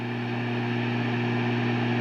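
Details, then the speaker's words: Egnater Tourmaster 4100 tube half stack at high volume with no guitar, after replacing preamp tube 7 (the 12AX7 running the effects loop): the crackling is gone, leaving a steady low hum with a faint higher buzz, which is acceptable. "so that crackling is gone. And so you can still hear that electrical sound. I mean, this amplifier it would be incredibly loud right now if we had a guitar in there. So that's, believe it or not, acceptable."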